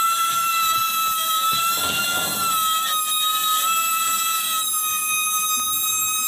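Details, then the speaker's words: Gree GMV multi VRF outdoor unit compressor emitting a steady piercing squeal around 1 kHz over the running noise; suspected causes are a stuck rotor or shaft, mechanical wear, or a burned internal coil causing reverse rotation. "you will hear the compressor is squaring right and actually is something wrong with the compressor we already know that and the reason is maybe the compressor rotor or the shaft is stunk or there's a mechanical wear or even the coil maybe inside is burned down"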